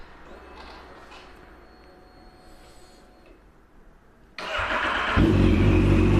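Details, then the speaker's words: Yamaha FZ8 motorcycle with the weaker battery reinstalled: starter churns briefly at a sluggish, even beat before the engine catches and revs; tired battery, but it still starts. "it turns a little longer because it is a little weaker here it is, but it still starts and everything works"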